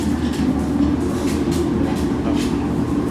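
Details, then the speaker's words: Whirlpool top-load inverter washing machine, noisy in wash and spin: a heavy, steady low rumble during spin. Failing gearbox, to be replaced; overloading is the usual cause. "Yan. So ibig sabihin guys pag ganyan yung tunog ng washing machine sira na yung gearbox niyan pagka dumadagungdong kapag umiikot no."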